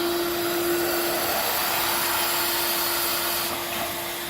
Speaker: We're going to let it hiss until water comes out, and when water comes out, we're going to close it. Then we should have a nice sealed system.